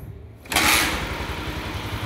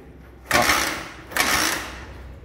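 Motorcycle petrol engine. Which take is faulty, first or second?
second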